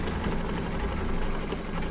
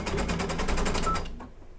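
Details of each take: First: Embroidery machine after quick rethread of upper thread, which had been off, likely not tucked into tension discs: fast, even needle chatter at constant pace, no catching or thumping; stitching normally, problem solved. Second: Embroidery machine stitching an applique bird body on a quilt block: fast, harsh clattering stitches about eight per second, rougher than normal, then stops; suspected upper thread misthreaded, possibly not seated in tension discs.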